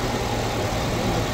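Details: 2012/2013 Nissan Altima after crank-no-start fault traced to a short and blown fuse, fuse replaced: steady low idle hum with even firing, no knocks or misses; engine running smoothly after repair.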